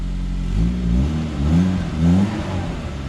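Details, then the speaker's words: Suzuki Vitara turbo conversion on 4 psi, stock ECU, new exhaust into original rear exhaust, first start: short throttle blips rise and fall cleanly, deep even note, no rattles or misses; healthy free rev. "that's beautiful rev it for a"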